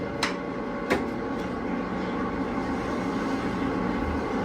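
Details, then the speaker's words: Hydraulic pump started after draining emulsified oil and adding 20 L of new oil: steady drone with rough churning hiss and sharp knocks. It is cavitating because the tank is still low on fluid. "Oh, right. It it would appear that Big Ber needs some more uh hydraulic fluid in it in in his tank."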